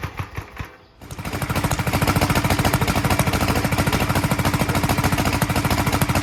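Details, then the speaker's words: 1943 Gravely Model L single-cylinder starting after a magneto swap to a rebuilt Wico, running a borrowed carburetor set for a 1955 L: uneven, choppy beat with pops out the carburetor and a little out the exhaust; owner expects lapping the valves and checking the valve lash to help. "you could probably tell it was popping out of the carburetor and popping a little out of the exhaust so uh you know obviously lapping the valves is going to help out with that"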